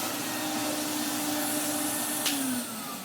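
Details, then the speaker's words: Restored 1993 Henry HVR200 vacuum cleaner after a motor top-end refurb with the bearings greased, running with a steady airy roar and even hum, then winding down; the bearings were not replaced, so the wind-down noise remains. "I probably could have broken the motor apart more, maybe even replace the bearings. But, you know, it's it's the noise that I personally like about these machines."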